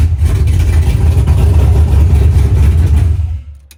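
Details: BMW E46 after a no-crank no-start traced to a blown relay; engine holds a strong, even running note for about three seconds, then dies away smoothly at shutdown; normal running.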